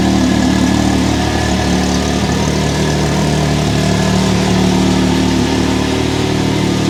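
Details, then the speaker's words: 2023 Can-Am Maverick X3 DS Turbo (135 hp), first oil change, idling after a rattly start-up following the oil refill: smooth, even idle with a steady low drone and no rattle left; engine settled fine. "ay well that definitely evened out but I did not like the sound of that that was weird"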